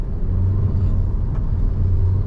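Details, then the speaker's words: Toyota Innova Hycross hybrid with e-CVT (sequential-shift drive) under full throttle: deep, steady, pronounced droning rumble at constant pitch as the engine is held at high revs. "మనం full accelerator ఇచ్చినప్పుడు sound అనేది చాలా ప్రొనౌన్సింగ్గా ఉంది."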